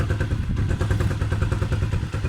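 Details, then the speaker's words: Engine left outdoors in winter rain and snow: idle thumps unevenly, pulses dropping and bunching as if about to stall, then stalls; carburetor starved of fuel by rust or water in the carburetor or a tank-valve filter clogged by rust, water or dirt. "karbüratör yeterince benzin alamadığı için de motora yeterince benzin gitmez bu şekilde çalıştırınca ya stop eder ya da sesi iyi dinleyin şu şekilde tekleme yapar bakın sanki stop edecekmiş gibi ve biraz zaman sonra motor stop eder"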